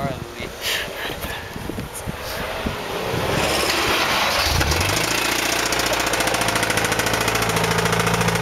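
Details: Recently purchased Honda S2000: after handling noise, the engine fires and settles into idle with a deep, regular knock each revolution, a rod knock.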